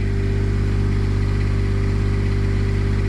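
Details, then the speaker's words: Onan Quietdiesel 7500 W generator in a 2000 Holiday Rambler Endeavor, 2400 run hours, after full service: 75 dB in front at high idle, then drops to a smooth, low, steady idle with no misses or rattles; normal low idle. "75 decibels in front. Well, now the idle just dropped down."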